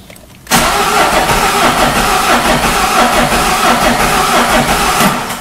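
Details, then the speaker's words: Peugeot 307 HDi 2.0 common-rail diesel that died while driving and won't restart. The starter spins it in a steady, even churn for about five seconds but it never catches; cranks, no start. "gira y no arranca Así es que se ve"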